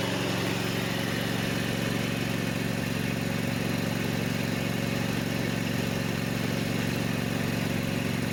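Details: Kubota mower with Kawasaki FD590/FD620 small twin, run after replacing leaking valve cover seal (oil had been burning off exhaust), bolts hand tight: steady even beat around two pulses a second, no knocks or misses; sounds healthy.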